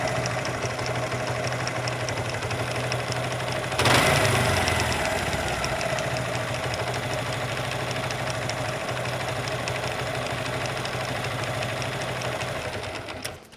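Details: Suzuki Gixxer motorcycle at steady idle with a loose, uneven clatter over the engine note; abnormal engine noise, cause not confirmed.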